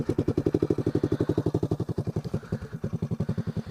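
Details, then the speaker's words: Honda ATC 185s single-cylinder three-wheeler, described as very cold-blooded, at idle after a rear brake job and an oil change to full synthetic. It gives crisp, evenly spaced thumps with a clean exhaust beat: a healthy, steady normal idle. "I'm gonna go ahead and fire it up, and you guys can hear it run. I'm gonna do a little walk around and things. Should be warmed up enough to idle, so."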